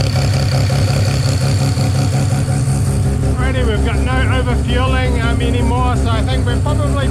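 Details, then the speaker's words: Mazda 13B rotary on EMPI IDA carburetor, after raising float level just over half a millimetre: no more fuel spilling down the boosters; steady, lumpy low idle without stumbling or flooding, though the owner worries the float tab may be bent too far. Normal idle. "all righty so no more fuel uh spilling down the boosters"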